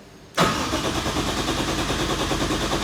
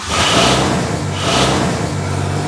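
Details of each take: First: Nissan 180SX with a 1JZ swap, not started for about 3 years, first start attempt: steady fast cranking for about seven seconds without firing, seemingly with no ignition. The owner suspects old wiring or an unplugged connector. Cranks, no start. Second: Nissan 180SX, first start after sitting three years, with a straighter exhaust: cranks briefly, catches at once and settles into a steady, even idle with no misfire or knock; normal start.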